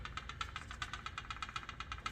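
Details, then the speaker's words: 2009 Acura RDX valve adjustment, cylinder 2 checked by rocking the rocker by hand: crisp even clicks showing proper looseness, closest to spec so far (intake 0.22, exhaust 0.30 ±0.01 mm); many others were too tight. "That kind of a looseness, that's actually what you're supposed to hear. So that one's actually probably been the closest one so far."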